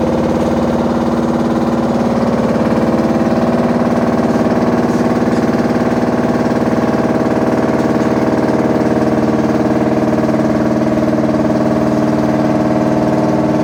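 Heavy, steady rumbling drone with a constant low throb throughout the run; the machine is unusually loud, cause unclear.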